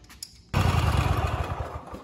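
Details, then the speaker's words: Kohler 7000 series (KT735) twin on a Cub Cadet SLX50 tractor, running at half power; new NGK spark plug fitted did not fix it; lumpy, uneven low thumps with skipped beats; one cylinder misfiring, no spark, failed ignition coil to be replaced. "okay it was not the spark plug so we're going to go ahead and start taking this apart and replace the ignition coil"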